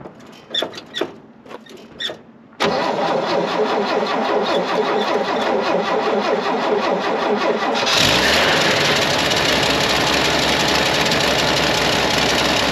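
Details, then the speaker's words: 1967 GMC, unstarted about two months, after new choke cable fitted: brief crank then clean catch into steady even idle with no misses; choke made a huge difference. "without that joke no way would have this thing ever fired up I would have been out here dribbling gas in it and ether and everything else gets fire up so huge difference huge difference"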